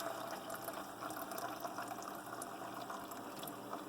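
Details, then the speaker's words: Keurig B70 that cycles water from the reservoir out the vent and back, with no clog: a soft, steady, watery water-pump hum with trickling flow before the water pump stops and the air pump brews. Normal filling. "The water pump turned off, the air pump turned on to brew the coffee."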